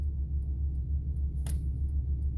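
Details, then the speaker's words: Ford F-250/F-350 idling with a faint, steady relay ticking behind the dash, as if the blinker relay is always on; stops when brake pressed; relay replacement didn't help; faulty multi-function turn signal switch replaced to fix. "The blinker relay seems to be going off underneath the dash. So what I'm going to do today is I'm going to switch out the multi-switch or blinker switch or turn signal switch, whatever you want to call it. But it sounds like it's always going off. It sounds just like the blinker switch is going off,"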